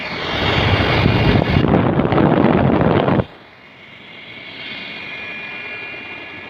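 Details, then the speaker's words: Room heater blower after replacing the failed fan with a brushless computer CPU fan wired to a 12 volt adapter: light steady high-pitched whir with no grinding, fan spinning smoothly. "So guys, you can see I have installed the wires of this blower with this 12 volt adapter, and let me check it again, and you can listen the sound of this blower."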